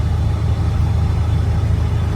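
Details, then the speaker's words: 7.3 Powerstroke diesel truck climbing a steeper hill at about 1500 rpm after fitting a KC 300X Gen 3 stage 1 turbo, Riffraff up-pipe kit, deleted pedestal and boost fooler: low, steady drone, no stumbles, rattles or surging; normal under load. "This hill is a little bit steeper, but see right up it. We're at what? Right at 1500. Just right up it."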